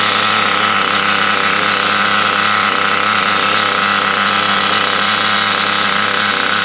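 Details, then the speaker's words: Picco P7 Evo 3 nitro engine after repinch with custom EN9 steel compression collar to fix lost compression, poor idle and tuning issues; glow starter still on: high, steady buzzing scream at even pitch without sagging or cutting out, running well. "so it sounds pretty good uh running quite well we've left glow starter on there um"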